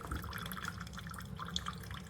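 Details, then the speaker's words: Chefman single-serve K-Cup coffee maker brewing: soft irregular drips and trickling over a low quiet hum, nothing harsh, quieter than a Mr. Coffee; normal brewing. "It's actually quieter than this one. It's quieter than the Mr. Coffee, so that's good."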